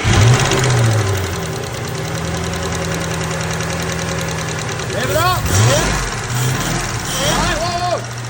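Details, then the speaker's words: Ford Mustang GT500 V8 idling with the valve cover off: quick, uneven ticking knock from the driver-side head that rises and falls with engine speed; a collapsed lifter losing prime. "lifter collapsed finally got down to the issue here is a lifter that was losing Prime"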